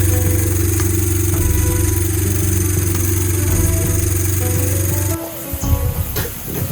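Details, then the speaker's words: Motorcycle running after floodwater got into the engine, during oil change with cheap flushing oil; loud steady drone with slightly uneven beat, then cuts off; noise not normal, valve adjustment suspected but unconfirmed. "qu'il n'y a pas eu beaucoup d'eau, ce bruit n'est pas normal."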